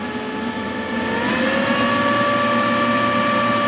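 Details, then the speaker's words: Large crop-spraying drone battery on its charger, charging normally at about 62–64% with no error code after the charging-error repair: steady whirring that rises in pitch after about a second, then holds smooth. Normal charger cooling fan. "just keep an eye on the charger you can hear the the charger humming heavy the fun on the charger is [Music]"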